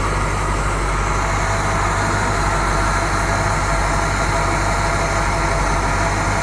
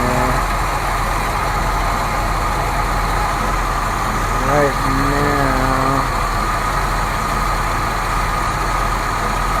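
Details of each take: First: 1970 Buick Riviera 455 V8 being revived, running after fuel was added to stop its chugging, charging at 14.3 volts, before warm-up: steady even low rumble with no knocks or misses. Normal idle. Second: 1970 Buick Riviera 455 V8 at first start after revival, charging at 14.3 V: rough, uneven, lumpy chugging idle with no steady beat. It is starving for fuel and needs a fuel pump.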